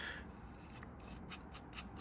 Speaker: so yeah this is the bearing and um you can hear it it's quite crunchy and grindy uh and that's spinning all the time